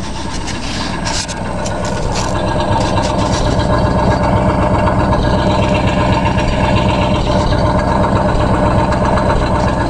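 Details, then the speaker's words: A rebuilt 1965 Ford 352 V8 in a wagon gives an even exhaust burble at idle, about four pulses a second, with no tapping or misfire; the owner says the exhaust sounds good and will be better with glass packs. "it's um doing engine work exhaust sounds good listen to that boys oh yeah this s better when I get glass packs on"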